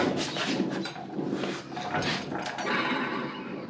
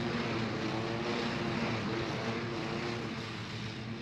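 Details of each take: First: John Deere L120 48-inch mower deck pulleys, hand-spun after belt failure: one of six bearings sounds good, five give a wavering, whinny-like squeal from dry, worn bearings; no grease fittings, owner may try oiling them. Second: John Deere L120 lawn tractor, 48-inch deck, after replacing the blown mower deck belt: smooth, even engine hum under mowing load with a steady beat and no slap or squeal from the belt; even cut, normal mowing.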